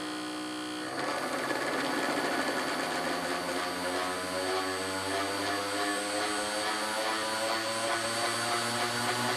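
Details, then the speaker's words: Manson 3-15VDC 30A power supply reassembled and tested driving a motor at normal speed: motor spins up from light hum to smooth steady whir; normal running. "okay so that's the disc of normal speed let's crank it up a little bit"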